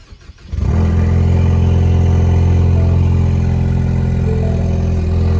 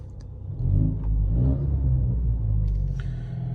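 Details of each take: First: Ecoboost Mustang start-up, cranking and settling into a loud, deep idle with a raspy exhaust edge from a leaking turbo downpipe gasket. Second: Ford Mustang EcoBoost after exhaust leak repair, revved while recorded inside the cabin, no mufflers, resonator retained, MBRP 3-inch downpipe with high-flow cat; deep, even rumble swells and settles with each blip, no ticking or puffing, exhaust sealed and healthy.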